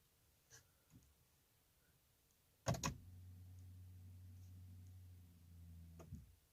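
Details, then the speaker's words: 2007 BMW 328xi E90, no-crank after oil filter and cap replacement; cluster dark until key inserted, push-start with brake pressed: click then fuel pump priming hum, no starter engagement or crank. "you can hear the sound fuel pump that sounds like it's starting but other than that I get nothing"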